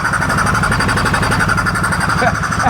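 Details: 2014 Polaris Sportsman ATV left sitting outside for years, reportedly with a blown motor, now with a new battery and replaced ignition switch: single cylinder thumping at a steady, even idle after starting, no knocks or misses. Runs healthy.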